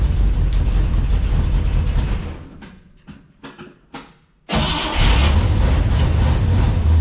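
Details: 1957 Pontiac Star Chief V8, sat over 10 years, fuel pump suspected not running, fed from drip tank to fuel filter: deep rumble fades, coughs and sputters, then catches and settles to low idle; fuel starvation after long storage.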